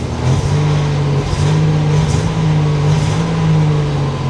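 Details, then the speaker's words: 1987 Buick Grand National, garage start test: revs climb unevenly and sag back as the throttle opens, a rough bogging note with no check engine light; it stumbles under throttle. "Yeah, see, I'm hitting the throttle and it's running like crap."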